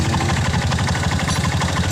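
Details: Honda Mega Pro motorcycle, started in neutral with the battery negative disconnected while troubleshooting lost ignition, after the blown part was replaced. The single ticks over at a steady, even beat with no misses or knocks, a normal idle.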